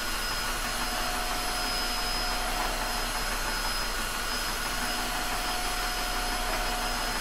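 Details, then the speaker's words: Tineco iFloor 3 floor washer/wet-dry vacuum running as a dry vacuum, recorded at user ear level: steady, even rushing whir with constant high motor tone, no surging or rattles; normal motor noise. "wow the sound profiles in wet and dry mode are about the same judging from the last test but the turbo mode will introduce a sound at about eight kilohertz or so that some people might be sensitive to"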